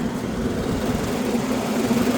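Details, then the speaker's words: Commercial exhaust fan found off at the circuit breaker, motor rated 3.02 A drawing 2.0 A: steady low hum with light rumble, slight vibration, no knocks or squeal, turning counterclockwise correctly; normal running. "it's running in the right direction counterclockwise I mean nothing concerns me about the operation"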